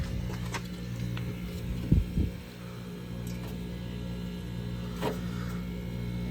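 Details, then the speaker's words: 1989 Friedrich Quietmaster SM10H10A 10,300 BTU 115V window air conditioner with fan between speeds: steady low compressor hum, suspected Tecumseh, under even fan whoosh, a couple of brief clunks, no rattles; running normally, about halfway cold. "Honestly, based on the sound that I'm hearing, I think this is a Tecumseh unit."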